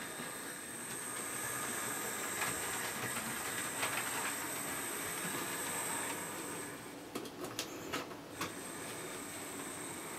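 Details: Hornby P2 Cock O' The North model locomotive after replacing the original jerky Hornby motor with a new one: steady, even whirr with a faint high whine and light track clatter, no grinding. Normal smooth running.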